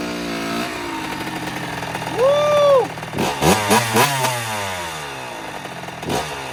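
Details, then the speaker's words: 2009 Kawasaki KX85 two-stroke, previously would not start: crisp revs climbing and dropping cleanly with steady crackle between blips, no bogging or misfire; strong top end. Normal running. "Well, it sounds like it's running a lot better, so that's good."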